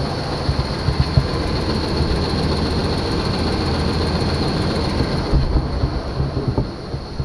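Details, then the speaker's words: 1991 Chevy Caprice 5.7 throttle body V8, running after hooking up the relay and picking up fuel (it was out of gas): steady, even low rumble at idle with no misses, knocks or stumbles, running on all eight, no oil leaks. "we're good exhaust sounds good sounds like it's running on all eight"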